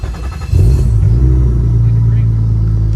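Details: Car fires up after the melted fuel pump wiring connector is replaced and the 14-gauge wire upgraded to 12-gauge; it catches within half a second and settles into a smooth, steady idle with no stumbling, so it started healthy.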